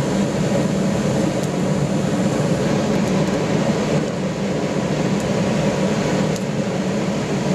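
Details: Gravity-fed waste-oil burner with small blower in a pot belly stove conversion during warm-up after lighting: steady even roar from burner and blower with scattered sharp pops as moisture dries out of burner and heater; normal.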